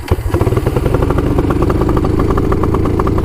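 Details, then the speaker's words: Honda quad being revved after a race: fast, choppy, spluttery firing with sharp pops; it was popping back because the loose choke was left on. "oh the choke is on that's why it popped back you're good yeah the choke is pretty loose so it comes up"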